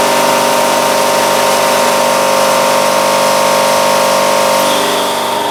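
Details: Air cooler hydraulic-driven compressor after a blown hose was replaced, pumped to 1,100: loud steady mechanical drone with strong whining tones; sounds weird, pressure not building; owner suspects the hydraulic lines are too small.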